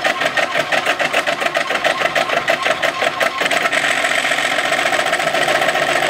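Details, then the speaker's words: 3D printer printing at high acceleration and jerk (Marlin): rapid stepper buzzing with a rattly rhythmic vibration on fast moves from the extruder mount on the X carriage, still to be fixed; the Y carriage noise is already fixed, so much quieter. "now there's still some vibration coming from the extruder Mount that we're going to fix next but uh so much quieter"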